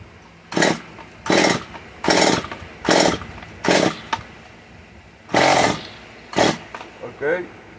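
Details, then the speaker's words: Stihl MS 194 T chainsaw being repaired, started after fitting new parts and removing choke; short sharp revving bursts about once a second dropping back between, then runs fine; coil works, owner suspects a little water from cleaning; normal running. "all right at least sounds like a coil works if you felt like it was pumping on me it's called it works i guess"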